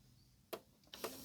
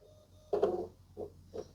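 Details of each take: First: Lennox CD radio after repair of a stuck tray caused by a slipping drive belt, with the tray possibly misaligned from being forced. Two crisp clicks, then a short smooth motor whir with no slipping: the tray closes normally. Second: Panasonic Blu-ray player with stuck tray: faint, short motor whirs repeat about every half second while the tray stays put; stretched, slipping tray belt, same issue as a Lennox CD radio needing new belts.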